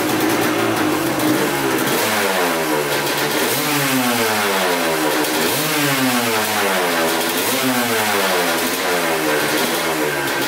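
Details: 1986 Honda CR250 two-stroke, sat over five years, running with throttle blips: crisp rapping that rises and falls smoothly without stumbling. Oil is mixing with coolant (water pump seal suspected), but it runs perfectly, so the owner rules out the head gasket.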